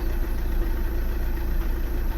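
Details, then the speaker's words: 2009 VW Tiguan 2.0 TDI diesel at idle: lumpy, uneven, shaky beat with low rumble, like running on three cylinders; exhaust stinks and blue-white smoke; drives fine above 1500 rpm. Misfire suspected, cause unconfirmed. "e engine how it looks like he's like let's say he looks like he's running in three cylinders it quite stinks from the exhaust as well"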